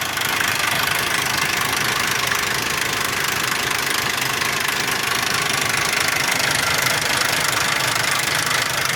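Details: 2001 Ford Explorer Sport 4.0 SOHC at idle: harsh, fast, fairly steady metallic rattle inside the engine; low compression on all three right-bank cylinders; owner suspects the rear right-hand timing chain or cam sprocket, not confirmed.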